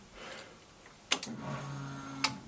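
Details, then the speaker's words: Ford Escort Mk6 van under restoration, first start attempt after fitting battery, no dash, exhaust off: click then faint steady hum about a second ending in a click, fuel pump priming normally at key-on; engine nearly fired first go. "well that sounded promising that sounds like fuel pump kicking in"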